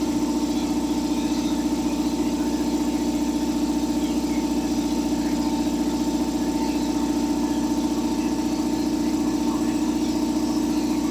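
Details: Revived long-idle belt-driven air compressor on first run, oil added: steady even motor drone with regular pump thump about twice a second, no knocking or squeal while pressure builds; belt could be tighter; normal running.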